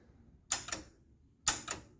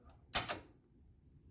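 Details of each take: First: 1976 Gottlieb Sure Shot pinball machine powering up with coin door open (interlock switch open): lights come on and the lockout relay gives two sharp double clicks about a second apart in a quiet room; machine otherwise not yet running. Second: 1976 Gottlieb Sure Shot pinball machine at power-on with coin door open: two quick sharp clicks then one later click in a quiet room, the lockout relay pulling in normally.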